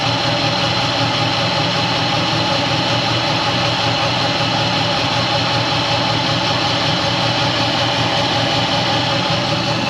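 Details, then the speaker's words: 2005 Dodge Ram 1500 4x4 with a swapped donor Hemi V8 and new fuel pump, started on ether: loud continuous idle with an uneven, lumpy beat, missing on one or two cylinders; owner hopes running will bring the injectors back. "and then it started picking up on some cylinders to where it run on itself and so we've just been running it here it's still [Music] missing but at least it's idoling"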